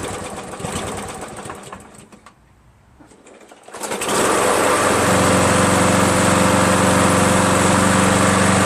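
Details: Craftsman 7HP green self-propelled lawn mower, long hard to start; after adding fresh gas it catches right after the pull and runs even and steady, never started that well before; owner suspects old gas was bad.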